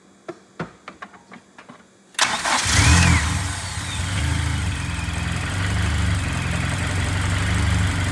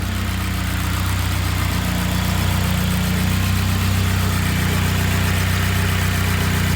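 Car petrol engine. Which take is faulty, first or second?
first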